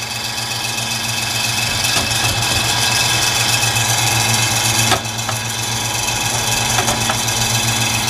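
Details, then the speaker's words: Noisy heater, fan running: loud rough whirring racket with steady hum and rattling clicks, unit very dusty; owner thinks it's time for a new fan. "oh I think it's time to put a new uh a new fan on this is annoying"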